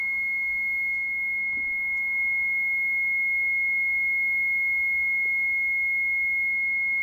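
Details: ABS/brake fault warning buzzer on a Mitsubishi Shogun (3.0 or 3.2 diesel, unsure) with HBB brake system and almost no brakes: steady continuous high beep with engine off, ABS and brake lights on, fault codes won't clear because still present.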